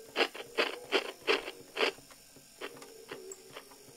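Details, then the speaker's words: 1959 Clarion transistor battery portable 3-inch reel tape recorder: uneven knocks about three a second over very quiet, slow playback; needs a service, knocking guessed to be the motor going over a rough spot on the wheel underneath after years parked. "so it needs a service they can hear that it's trying to do something but it does all turn"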